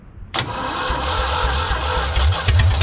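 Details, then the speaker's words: 1974 Ford 3550 industrial tractor, recently freed up, first start on starting fluid: silence, then it abruptly catches and settles into a low, slightly uneven chug; engine starts. "Oh my God! Did it just start? It just started."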